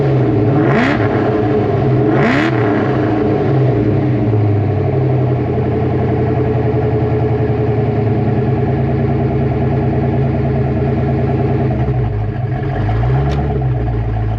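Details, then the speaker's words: 1988 Ford Mustang GT with 306 small-block V8, B303 cam, Cobra intake, emissions deleted, underdrive pulleys, fresh oil change: deep, lumpy idle with two quick clean throttle blips, settling back smooth and even; engine sounds healthy. "So, with that said, let's fire this car up and you guys can hear how the 306 sounds with this motor and exhaust setup."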